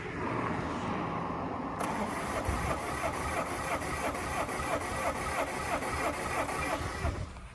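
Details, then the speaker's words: 2016 Ford Mondeo, crank-no-start with a flat battery, cranked on a boost pack: uneven, lumpy "poop poop" cranking that never catches; technician first suspects cam/crank correlation; possible compression loss from head gasket failure. "Doesn't sound great. I can hear poop, poop, poop, poop when I'm turning it."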